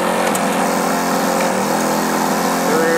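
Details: 1966 Yamaha YL1 Twinjet 100cc two-stroke twin, junkyard find: busy crackly buzz holding steady fast idle, slight rise at end; normal running.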